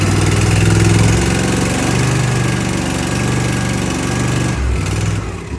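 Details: 2023 Cub Cadet ZT1 50-inch mower, Kawasaki FR691V engine, just after throttle cable replacement (746P06892): runs with a firm, even beat, then the note drops away near the end; throttle and choke respond and it runs properly.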